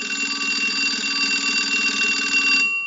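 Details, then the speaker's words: Single-slot payphone during final checkout after repair and conversion, analyzer sending an incoming ring cycle, heard through an amplified pickup that may add static. A bright metallic bell rattles evenly about 2.5 seconds, then stops cleanly. Normal ringer operation. "Now what we want to do is go ahead and use the analyzer and send a ring cycle like you were getting a call."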